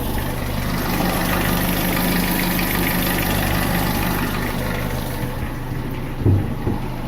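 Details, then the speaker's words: Renault Symbol K7J engine at idle before timing chain replacement, owner suspects the chain; steady idle with faint uneven tapping two or three times a second, source not confirmed; engine knock at idle. "Привет всем, пацаны, решил я поменять цепь ГРМ. Вот она как у меня стучит."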